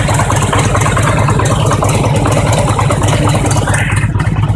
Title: Harley Engine Knock - when engine is cold